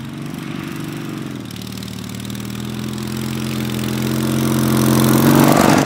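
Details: Racing Panzer small engine after carburetor cleaning and fuel pump install: even steady putter climbing smoothly in pitch as throttle opens, no misses or knocks; now running good.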